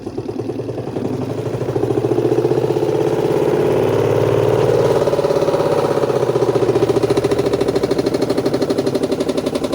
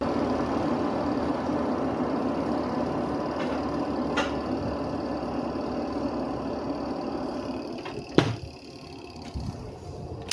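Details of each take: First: Spin-dryer section of a washing machine makes loud, rapid rhythmic thumping that swells as the drum spins up, audible even outside the house; cloth wound around the lower spin shaft is knocking, and noise persisted after removing the portable cover. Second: Washing machine spin dryer after removing wrapped cloth: spin tub runs with an even whir, no rough rumbling or rubbing; normal spin after repair.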